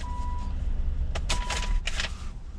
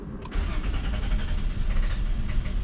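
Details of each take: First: 2001 Nissan Maxima 3.0L VQ30DE with extended crank after sitting, after fixing fuel leaking into the intake manifold: catches promptly and settles into a low, even idle with no stumble or long crank; normal start and idle. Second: 2001 Nissan Maxima 3.0L V6 (VQ30DE) after sitting a few minutes: long labored cranking around 425 rpm despite good fuel pressure, barely catches and stumbles with throttle held; extended crank blamed on leaking fuel pressure regulator.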